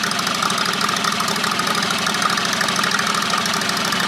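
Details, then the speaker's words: John Deere 214 mud mower with Predator 670 engine, rebuilt muffler without packing: uneven, stumbling exhaust beat that stutters rather than holding steady at part throttle; owner suspects lean running and plans to enrich the carburetor needle a notch or two; breaks up at mid throttle. "I think it's running lean I'm gonna take the needle and emulsion tube and move the needle and enriching the mixture on the needle a little maybe a notch or two because it breaks up at M"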